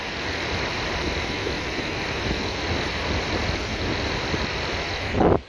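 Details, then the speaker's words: PS3 Slim cooling fan run at 5 volts, recorded with the smartphone's left microphone: steady whirring hiss with a faint rough scratchy edge from the worn fan bearing. "Now you can hear the bearing. It makes a noise like..."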